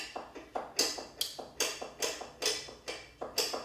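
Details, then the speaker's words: Motorcycle safety inspection, rear brake pedal worked while checking how quickly the brake light switch activates: bright springy scrape and click about once a second as the pedal return spring moves around. "Ew, that's the spring moving around."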